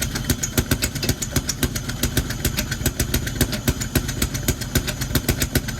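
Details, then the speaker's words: BMW E46 idling rough, shaking with sharp, uneven ticks and stumbles about three or four a second; the owner suspects a misfire from the jumping idle and plans to pull the intake apart. "so you see it clearly doesn't sound good but we're gonna have to figure it out but from the jumping sounds like a misfire"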